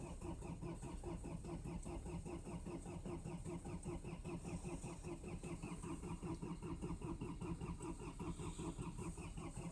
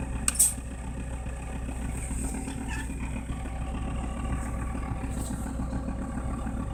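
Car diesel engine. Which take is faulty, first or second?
first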